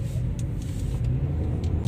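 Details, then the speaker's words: Geely Emgrand GS, 80,677 km, rough-road test after retightening left front lower control arm bolts with wheels loaded and removing worn right front stabilizer link: only low tyre and road rumble, no clunks; chassis noise gone. "现在走烂路就没有声音了，但是我们是把那个平衡拉杆给它拆掉了，过弯的时候侧倾比较"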